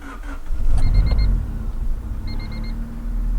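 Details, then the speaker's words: Honda EF hatch with 92 horsepower, a leaking brake booster and no power steering: a low, soft, even idle with a chime beeping twice over it; the engine sounds settled and healthy. "now contrary to popular belief you're not going to be winning a lot of street races with this car because it only has 92 horsepower so let's listen to this baby purr"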